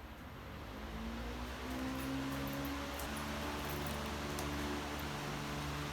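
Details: Yamaha Virago V-twin held at rpm with fan cooling, checking center link carb sync; revs up and settles smoothly, even note, no stumble or hunting; carbs in good sync, bike needs little adjustment.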